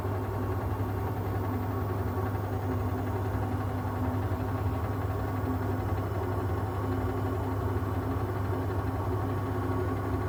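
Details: Siemens washing machine on spin: steady deep rumble with a constant low hum and no separate knocks; owner wonders whether shocks, bearings or the drum spider are at fault, not confirmed.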